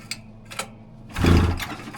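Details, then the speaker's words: Rebuilt 1999 Polaris XCR800 two-stroke on first fire-up, no coolant: short recoil pulls with brief chuffing and no catch; cranks but won't fire, feared flooded but judged starved of gasoline. "Oh, it's not flooded. It needs gasoline."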